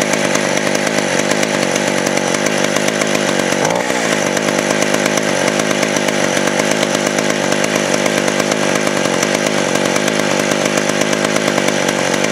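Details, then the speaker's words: West German Stihl 041AV 61cc two-stroke chainsaw, 20-inch bar, sat a year with stuck rings now freed, smokes badly: loud, steady high-pitched buzz holding revs while cutting wood. Normal running under load. "so here we go I'm going to fire it up um you guys show you how how it runs it is [ __ ] loud like crazy"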